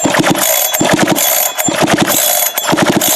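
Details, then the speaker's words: Farmertec 372 chainsaw with 272 piston: uneven pull-cord cranking rattle with no firing; won't start, suspected bad ignition coil after it broke up and popped from the exhaust while cutting. "Nothing. Zippo. Nothing. But I'll just pick up a coil."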